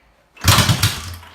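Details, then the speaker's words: Kick-started 1972 Honda CB350 twin, on a dirt bike battery after purchase (bought known to run poorly), catches right away with even, steady firing pulses; both cylinders firing properly, normal running. "Well, there you have it. It certainly sounds better than something we've heard here recently."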